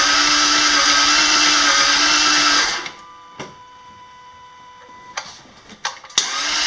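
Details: 2001 Jaguar XK8 that died shortly after starting and won't restart despite a full tank, with starter fluid sprayed into the induction: about three seconds of steady even cranking, the engine never fires; crank no start, cause unconfirmed, burnt LHS spark harness found resting on header.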